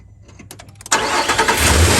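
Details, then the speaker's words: 2017 Nissan Frontier, 87,000 miles, after replacing belt, tensioner and idler pulley for a front bearing ticking: starts and settles to steady even idle, ticking gone; old tensioner/pulley found bad. "all right no more chicken noise that looks like it's running fine"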